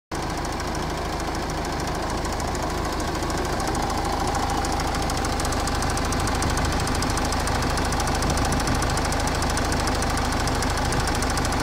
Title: Ford Kuga engine bay clicking sound.